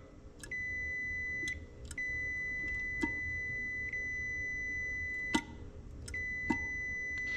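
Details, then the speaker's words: Neutral safety switch on an Oliver 1855 tractor being adjusted: a steady high continuity beep stays on with only brief breaks because the bracket is set too close, holding the switch stuck closed. "okay that might be a little too close I got the holding the bracket closest to the switch as I can get it that's a little too much pressure wanting to stay on a little bit"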